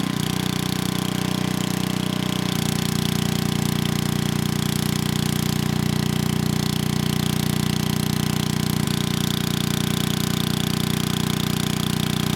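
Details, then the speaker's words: 1987 VoltMaster 4,000 W generator, 8 hp Briggs & Stratton flathead, after compression repair, under 3,000 W load: 120 V near 60 Hz (107 V unloaded). Steady even single-cylinder thrum with firm low beat, no knocks or misses. "It was 107 volts without a load, and once I put that 3,000 watt load on, the voltage came right up to 120 volts, and we were pretty close to 60 hertz. So this thing is doing really well."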